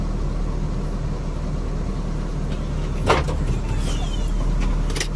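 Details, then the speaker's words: Hyundai Inokom Atos Prima 1.1, previously shaking and stalling in gear and with aircon, now shaking gone: low even idle rumble with no stumble or shake, door clunk partway; normal idle. "Sebelum ini reverse di 2 dan L, engine ini akan bergegar. Tapi setakat ini engine masih oke."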